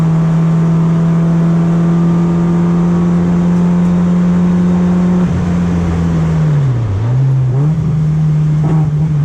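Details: BMW E36 racecar on track with a steady drone that sags and wobbles unevenly after five seconds, hesitating under throttle. Lap times have dropped. The verdict is a suspected fuel supply issue; misfire unconfirmed.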